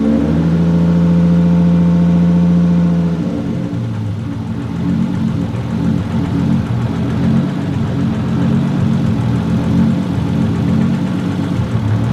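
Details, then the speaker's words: Freshly rebuilt forged Toyota 1.5JZ, first start after the rebuild (a broken vacuum line had caused heat and a lean run), good oil pressure, coolant not yet bled: starts and holds a steady idle with light revs, even firing; running pretty good. "camera died on the iphone now but it's running pretty good"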